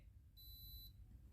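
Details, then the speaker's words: Philips GC7703 steam iron, complaint no steam output, just switched on, soleplate heating normally; high shrill beep about every second with blinking orange light, repeated warning beeps. "สีส้มนะครับกระพริบนะครับได้ยินเสียงน้ปิ๊ดๆนะครับ"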